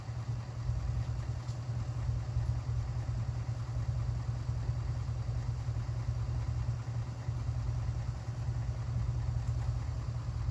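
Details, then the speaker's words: 1967 Mercury Park Lane with 410 Ford FE engine, cold start attempt on jumper cables: slow, laboured cranking at about two and a half turns a second with no firing. The battery is too weak to spin it; timing also needs adjusting. "Battery is deader than I thought."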